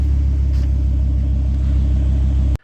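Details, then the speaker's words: 2002 Volvo V70 2.4T after replacing a torn intercooler inlet hose with a new silicone one that was limiting boost to about 5 psi; deep, even exhaust rumble pulling away, no misses or rattles, running healthy. "Love the way this car sounds. Oh yeah."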